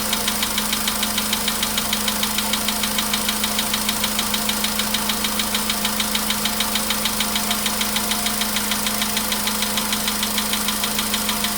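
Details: VW Polo Sedan, 99,329 km, cold start, 15° shown: fast even ticking knock about three per second over idle hum, anvil-like, source unknown; knock worsening with mileage, fades after about 5–6 minutes.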